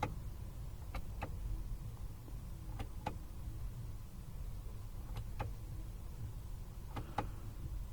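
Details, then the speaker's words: Land Rover Discovery Sport after rear brake replacement, exiting scan-tool maintenance mode: short paired clicks and brief motor buzzes every couple of seconds over low hum; electric parking brake motors engage and release cleanly; parking brake fault cleared. "all right all that craziness went away so we're good we're just gonna make sure the parking brake works"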